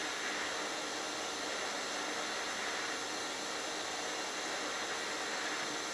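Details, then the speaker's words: HitBox 200A dual-voltage 110/220 TIG/stick welder set at 70 amps, sharp tungsten: smooth, even hiss with no pops, crackle or sputter throughout; stable, consistent TIG arc. "and you can probably see that my arc was very stable and very consistent"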